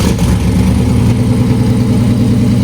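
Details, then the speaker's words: Older Firebird on a long road trip, after a bolt was replaced and the manifold bolts were retightened: steady idle with a fast, regular puffing tick on each firing pulse from a small blown gasket leak between two cylinders; gasket replacement deferred. "So, I still have a small one from where that gasket flown out in there, but I'll be able to fix that when I get back. Um it's just right there in the middle between those two cylinders."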